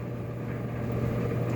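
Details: About 15-year-old Kenmore 417.83042300 electric dryer with new motor, rear bearing, belt, tension pulley and drum felt, running normally past its 30-60 second startup noise: steady low hum and soft tumbling rumble, no scraping or squeal.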